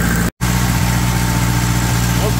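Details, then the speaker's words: Onan 15.0 JC generator converted to tri-fuel carburetor, running on gasoline under heavy load near 15 kW, 120/240 V single phase: steady even drone, no hunting, surging or knocks; normal. "here we are a few minutes later I had this thing voted over 50kw just keep running like it should"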